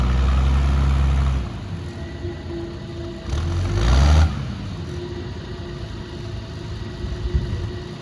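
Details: 60-year-old Clark Michigan 55A loader, Perkins 354 diesel, after fitting part with O-rings, rocked between forward and reverse (no hydraulic steering): deep steady rumble dipping and swelling with load; runs healthy, leak fixed, dry.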